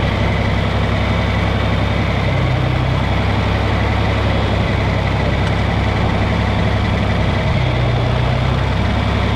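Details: John Deere 4020 diesel tractor after fuel-problem troubleshooting: steady smooth idle with no misses or knocks; belt may be slipping slightly, nothing leaking, clean fuel in filter; runs fine.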